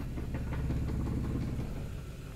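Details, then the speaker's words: Suzuki Maruti Alto K10 petrol at idle: deep, uneven throb and loose knocks, a heavily vibrating idle with hissing and stalling. The only code is U2001, LIN lost communication with the generator. "customer complain huge vibration at the idle here you can witness it like War engine mount bear the engine"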